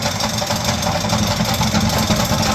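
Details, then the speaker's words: Homemade paint shaker, unanchored on rubber cup feet, run empty on a timer: fast, hard rattling and hammering as the machine bangs around and walks across the floor; severe vibration, mounting method unclear. "it's all over the floor. Yeah. So obviously I'm going to have to do something different."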